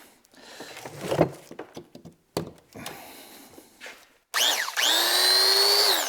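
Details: Milwaukee angle grinder after repair for random shut-offs (tear-down, cleaning, new cord, new chuck lock button, contacts cleaned): after handling clatter, motor spins up cleanly to a steady high whine, holds speed, winds down; runs normally.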